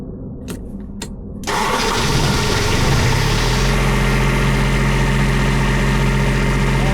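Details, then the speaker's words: 2019 Wanco diesel light tower, after pre-trip, oil and battery issues fixed, started with glow plug: a few clicks, catches at once and settles into a steady even idle with no knocks; starts and runs properly. "I hauled home a $1,700 2019 Wanco light tower that I paid 1,700 bucks for. Works perfectly."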